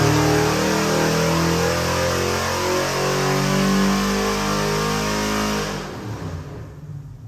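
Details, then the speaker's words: Custom-built Chevy LS 427 (LS3-based, twin Holley 1000 CFM 4150 throttle bodies, CVF pulley kit) for a '71 Chevy C10 on the dyno, final pull; deep even V8 climbing smoothly through the revs then easing off, no knocks or misses; normal running. "This is the LS 427. It is gorgeous and it runs great."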